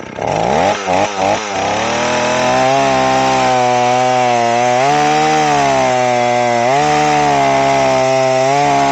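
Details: Old Stihl 038 AVEQ chainsaw after a carburetor swap, mixture screws set about 1¼ turns out, test run: a high wailing note that wobbles and blubbers instead of screaming cleanly; the mixture is running very fat.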